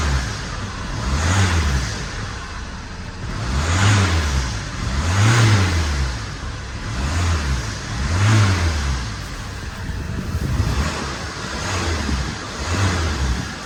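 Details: Vauxhall Insignia started after the EGR valve was refitted, following a leaking section and a loose bolt: starts and revs in even swells every 1.5 seconds with no hiss or whistle; normal revving after repair.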